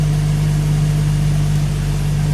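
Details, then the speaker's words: Freshly rebuilt Jeep 4.0 straight-six, flat-tappet cam on high-zinc oil, first start, after dropping from break-in speed near 2200 rpm: steady, even low drone settling into a smooth idle, no knocks or ticks; started first try, nothing sounds weird. "and this thing is running like a champ it started on the first attempt too uh [Music] nothing sounds weird"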